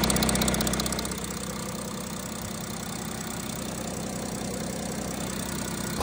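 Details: Audi A6 C8 3.0 TDI after camshaft sprocket and timing parts replacement for noise the dealer called normal: after brief crank to build oil pressure, even steady idle with light clatter, no timing-end rattle; noise fixed.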